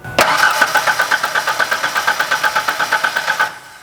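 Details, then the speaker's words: 1997 Ford Ranger sitting since 2019: steady starter cranking, about six pulses a second, never catching; test showed good spark but no fuel, so a failed fuel pump is blamed. "looking at that test we got great spark going on the only thing we're missing is fuel that's good news for the customer"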